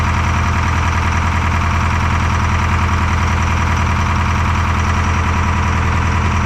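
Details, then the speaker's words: Detroit 4-53T diesel with 9G90 injectors, run from a 5-gallon tank bypassing the solenoid and tank: uneven loping idle, regular stumble about 2.5 times a second. Fuel starvation (filter half full, loose suction hose clamp); injector two dead. "well it certainly looks like fuel starvation um pull the filter off it's only half full of fuel"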